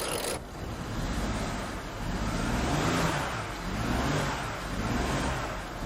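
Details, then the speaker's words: 2010 BMW 535i E61 wagon (automatic, AWD, auction car) with low fuel rail pressure, revved and surging and sagging unevenly, getting worse and near stalling. Misfire codes are thrown on cylinders 1, 2 and 4; cylinder 4 is on the second bank, companion to cylinder 3. "yep it's even worse it's dying all right I finally got it to throw some codes and it's throwing misfires on one two and four"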